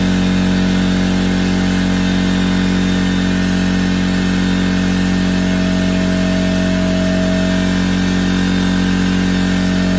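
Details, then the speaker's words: McGraw 21-gallon oil-free air compressor (part 64858, 1.5 HP universal motor, 4.0 SCFM @ 90 PSI) started to fill the tank after air filter cleaning: steady even hum, constant low drone, no knocks or rattles; normal compressor run. "And now I'm gonna start it up and let it get filled up, and we'll go from there."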